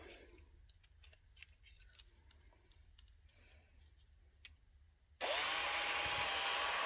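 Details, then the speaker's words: Parkside PSBSA 18LiB2 18V hammer drill driver tested powered through its terminals without the original battery: after a quiet stretch the motor spins up to a steady high whir with no grinding or stutter; normal motor running. "and then you press it and it runs, as you can hear it."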